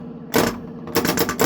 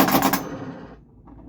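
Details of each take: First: Bally Frontier pinball after pop bumper switch gaps were set to about 1/16 inch: bursts of sharp solenoid clacks doubling up, as one pop bumper's vibration triggers another. The gap is too close and needs adjusting. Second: Bally Frontier pinball during playtesting after restoration: a quick rattling burst of rapid spinner clicks under half a second that dies away cleanly. The spinner turns freely and sounds healthy.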